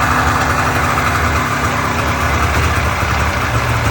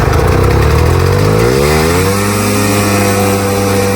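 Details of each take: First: Polaris Indy Trail snowmobile after carburetor and fuel-system cleaning for bad fuel, which had made it run poorly: even, steady two-stroke burble with no stumbles or surging, idling untouched; normal idle. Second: Polaris Indy Trail snowmobile two-stroke, carbs cleaned after bad fuel, first start with a small prime; it catches and climbs to a steady high scream that never drops to idle. Engine racing at uncontrolled high revs; owner suspects he messed something up.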